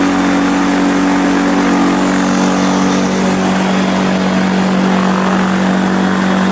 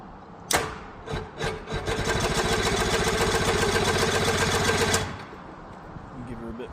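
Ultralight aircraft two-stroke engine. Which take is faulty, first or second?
second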